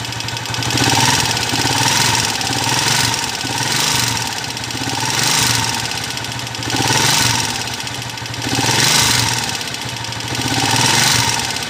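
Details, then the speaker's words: Honda TMX 155 single with a sidecar, brought for an overhaul because it is noisy, idling after start: clattery, mixed metallic rattle and slapping over a loping beat. "Ayun, ganun kaingay mga kabro. So halo-halo na yung ingay ng makina niya."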